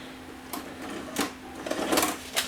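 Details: Samsung SV-5000 multi-system VHS VCR after repair, ejecting a PAL tape: quiet steady hum, then four quick clicks and short whirs as the cassette unloads cleanly without eating the tape; normal eject.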